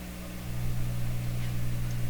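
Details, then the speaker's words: Sparton 1567 tube radio during IF alignment check, two weak tubes found earlier: steady low buzz at one pitch; mains hum from the recording hookup, not from the radio, exact cause unknown. "here are those - hums watch have a honey sound system here so those hums are inherent in my my hookup here attack let's do this still humming tape so I don't know exactly what's causing the home but it's not the radio here"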